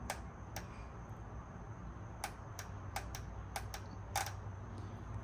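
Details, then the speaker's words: Fuel injectors pulsed with 12 volts from a battery maintainer: sharp, dry, even clicks at irregular intervals, about nine in five seconds; injectors good, so a connection issue is suspected; normal injector clicking. "So we know the fuel injectors are good. So that means we got a connection issue or something. Yep, so fuel injectors work. Hopefully y'all could hear those clicking on and off."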